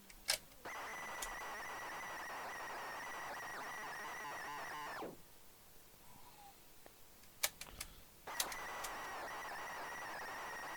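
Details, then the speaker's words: ZX Spectrum cassette tape: shrill, wavering data tone runs unevenly, cuts out into hiss, then restarts; worn, shoddy tape failing to load. "can you hear that that ain't going to happen either I think this tape's looking a bit a bit bit shoddy for the amount of effort that somebody's done on it"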